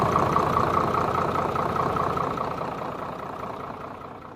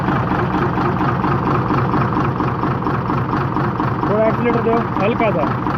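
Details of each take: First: Hino J08C diesel engine after repair and full reassembly, idling with an even, regular beat of about two and a half per second that fades away smoothly; normal idle. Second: Hino J08C diesel with low pulling power and oil coming from the silencer, traced to cylinder number five: rough, uneven idle with a dull knock in the clatter; piston damage knock.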